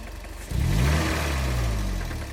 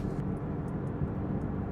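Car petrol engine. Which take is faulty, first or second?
first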